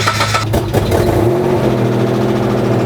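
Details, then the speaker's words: 1999 Mitsubishi Montero V6 after full exhaust replacement from manifold to tailpipe: fires up to a loud, raspy idle, louder than before and loudest on the driver's side, an exhaust leak at the manifold-to-downpipe joint. "I don't think that fixed it. It's a lot louder. The exhaust is really loud on the driver's side, which means we have a leak somewhere."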